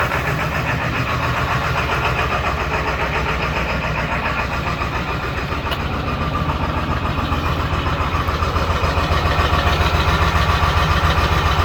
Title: 7.3 rough idle after sitting